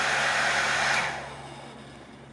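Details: Oster hair dryer that would not turn on, tested after repairing a short in its wiring. It gives a steady, even blower roar with a smooth motor hum, then dies away when switched off, running normally.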